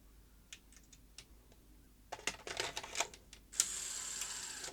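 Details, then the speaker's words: Sony SL-HF600 SuperBeta VCR after reassembling the reel drive gear one tooth off: scattered light clicks then busy whirring that never settles into a clean load cycle; tape loading gear train mistimed, supply side jamming. "no that's not right at all no that's definitely out of alignment take it apart again"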